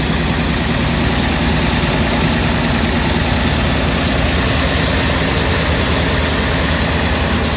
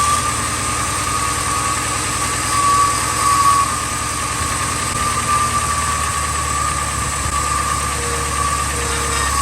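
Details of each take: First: 2000 Ford F250 5.4 2V V8 on cold start in freezing weather: loud, uneven idle that shakes and stumbles rather than settling; rough idle blamed on a dirty idle air control valve. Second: 2000 Ford F250 5.4 2V V8, cold start in freezing weather after cleaning the idle air control valve and throttle body: steady, even idle with no stumbling or hunting; normal cold idle, though fuel trims show it running lean.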